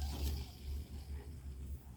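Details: Fishing reel after replacing original noisy bearings above the pinion with new ones: soft low even whir while spinning, no grating or roughness, then a small click; smooth quiet rotation.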